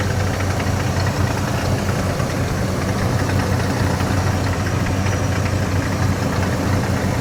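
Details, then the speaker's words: 1996 Ford F-150 with 144,000 miles, long sitting: steady low idle with faint, fast unchanging rattle under the hood; owner suspects water pump, unconfirmed. "Yeah, a little rattling I hear. I think it sounds like a water pump."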